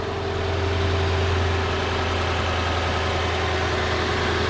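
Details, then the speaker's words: Lexus LS460 V8 idling after replacing the serpentine belt tensioner and idler pulleys, which had been noisy: steady smooth idle with an even low hum and no squeal, chirp or rattle; pulleys now silent. "That is the sound of success. Pulleys are silent."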